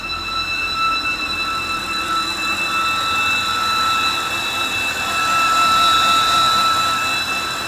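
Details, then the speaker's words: 2013 BMW 328i E93 convertible with N52 six-cylinder, idling: loud steady high-pitched belt-like screech over a low, fluctuating rough idle, strong vacuum at the oil filler cap; torn crankcase breather (CCV) diaphragm in the valve cover, fixed by replacing the valve cover. "It's basically anytime the engine is in like a no load cruise scenario or sitting at at idle, it's got this really weird loud like belt screeching noise."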